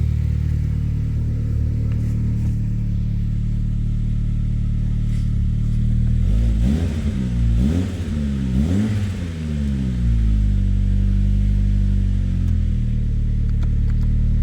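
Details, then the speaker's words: Saab from the 9000 era, exhaust with middle silencer and slight exhaust-flange leak: deep booming drone swelling with each rev; excessively loud exhaust. "listen to this goddamn exhaust here. It's so loud, holy crap. And it even has a middle silencer. It's insane how loud it is."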